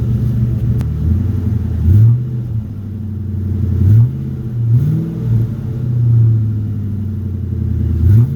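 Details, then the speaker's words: 2009 Ford F350 after fitting a new Flowmaster muffler: deep smooth note swelling and dropping with several throttle blips, no rasp, drone or rattle; quieted down a lot from before. "Yeah, this thing sounds a lot nicer now. Quieted it down a lot instead of being it was, well, you guys heard it before, it was pretty bad."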